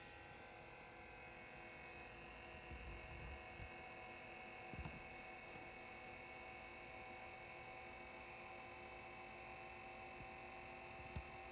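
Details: Behringer EPQ304 amplifier switched on with no music and no speakers: a steady, constant whir and hum from the cooling fans, too loud for a quiet environment like a church.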